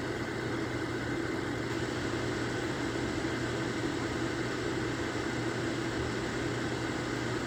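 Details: Lasko electric fan heater, low 750 W / high 1500 W, setting changes click, now on high 1500 W, hot air from bottom coils; even steady rush over low constant hum, no rattle or scrape: fan running normally on high.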